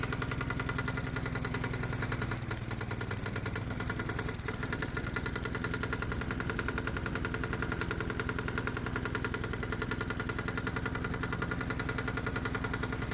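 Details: Low-compression gasoline lawnmower engine run as a hot-bulb semi-diesel on 100% diesel, spark plug disconnected and stack torch-heated: uneven single-cylinder chugging of two to three beats a second, labouring and struggling at light load.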